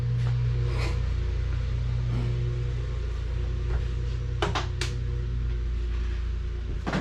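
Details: Dodge SRT4 test engine fitted with the intake, coils and harness from another motor, timing checked (a bad crank sensor and a 3rd-gear pop-out on downshift were found during testing): low, steady rumble with no misfire or knock; normal running.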